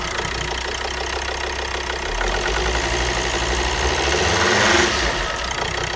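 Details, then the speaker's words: Volvo XC60 D5 diesel (possibly Euro 4) idling on start-up after injector replacement. A sharp ticking chuff about four per second rides over the idle as exhaust gas escapes past one injector's seal, which needs torquing down further. "okay so on this injector there was a little bit of uh exhaust gases coming through here so this needs talking down a little bit further"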